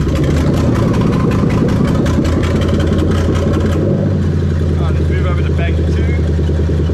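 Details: 1998-2000 Lexus LS400 1UZ-FE VVT-i V8 on a stripped standalone harness (manual, immobiliser removed), warmed up after alternator charging and ACIS checks: deep, even rumble settling into a smooth steady run after a rev; all cylinders sound to be firing cleanly.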